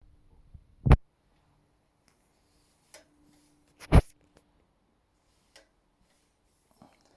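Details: Brand new, never ridden 2021 RockShox Pike Select 150mm Boost fork pushed down by hand: sharp isolated clicks at about 20% compression, seemingly from the damper-side leg; a replacement fork does the same; owner suspects the Charger RC damper.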